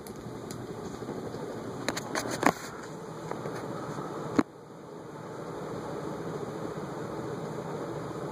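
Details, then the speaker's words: 1970s–80s "I-Fan" Bentley vintage ceiling fan, possibly by A&G Machinery, on high speed, with 17° pitch blade brackets and unbalanced blades: steady airy whoosh with a low motor hum and a few stray clicks, probably a wire nut touching as it shakes. Moving lots of air. "I will tell you this thing is moving some serious air uh the blade brackets do have a 17° pitch they're actually labeled and um this is really moving some air"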